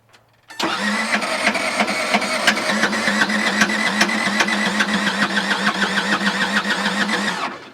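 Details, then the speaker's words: Case 1835C skid loader diesel with broken piston rings, cranked on 24 V without glow plugs: fast, even cranking about four pulses a second, never fires, starter ends up smoking. "Well, she definitely spins. I mean, I'm just gonna go until my batteries die or my starter gives up. That's the plan. Why won't you fire?"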